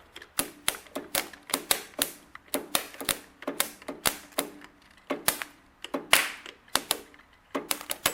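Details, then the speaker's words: Amphibious Ford tractor starter, bench tested with jumper leads to a known-good battery: rapid sharp clicking about three a second with no cranking. Starter chatters, never engages; flywheel teeth to be checked. Cause unconfirmed. "Yeah, she's not. I can hear her trying to engage, but she's not doing it, so something's going on with our starter."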